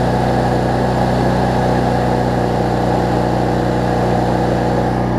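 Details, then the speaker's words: Cub Cadet zero-turn mower, Briggs V-twin, after governor, rich-running, wiring and charging fixes: after a slight surge on starting, a steady, even drone holding proper rpm, idling down well; normal governed speed. "about the rpm it needs to be it idles down really well too so that's good"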